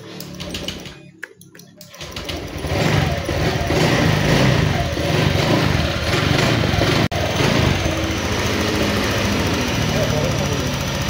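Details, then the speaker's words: Honda Vario 150 scooter brought in with a dead ECU (ECU only 7 months old), started after fuel pump hum: catches after a couple of seconds into a buzzy, slightly uneven idle; air-fuel setting sounds odd, never serviced, rough idle. "Tapi kok didelepno kene aneh ya setelan angine ya."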